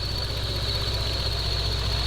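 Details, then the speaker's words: 2011 Lexus IS 350 F Sport, first start after RR Racing Stage II supercharger install: low, lumpy, shaky idle with uneven pulse under a steady high supercharger whine; rough running, cause not yet found. "the car is very shaky he doesn't seem to be running right"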